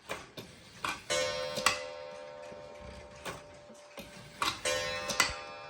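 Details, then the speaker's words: First cuckoo clock, runs about 24 hours per wind, bellows missing: strike plays on the gong with bright ringing tones and no cuckoo whistle. "See, it doesn't have bellows, just the gong."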